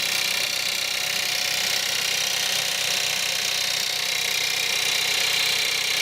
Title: Cold start at -5, Skoda Octavia 1.4 TSI, 150bhp - rattle, noise, sound like diesel